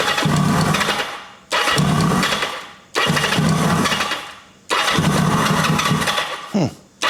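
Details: 1980 Kawasaki KZ750 motorcycle, cranking after carb work with fuel line connection leaking heavily: four bursts, each catching only while the starter turns and dying when released; owner suspects ignition cuts out when the starter button is released.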